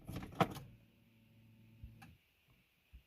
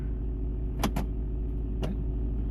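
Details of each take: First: Smart 451 1.0i petrol, restart after switching off, stuck in neutral with no gear selectable; brief electric whir and a few clicks after key-on, then silence and no crank; faulty clutch actuator causing no-start, code P0886. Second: Smart 451 1.0i petrol idling steadily while the clutch actuator engages reverse with quick clean clunks; gears go in normally while running, though after shutdown it won't restart or leave neutral.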